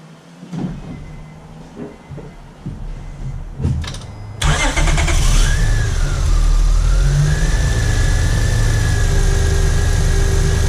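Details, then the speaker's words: 2003-2007 Honda Accord V6 after new drive belt fitted, pulleys checked: starter whirs, engine catches and settles to an even idle with no belt chirp or squeal; belt running smooth. "i'm going to start up the car and the belt should be nice and smooth"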